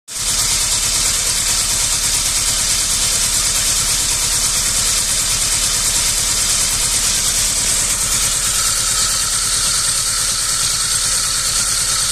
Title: SAAB 900 Turbo SE rough idle